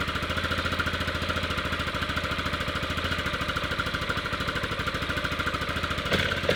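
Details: 1998 Yamaha Grizzly 600 ATV after wet clutch replacement and reinstalling the one-way bearing correctly: steady, even single-cylinder thump at idle, slightly lumpy and idling a little hard, as if the choke is on; no knocks or grinding, normal idle.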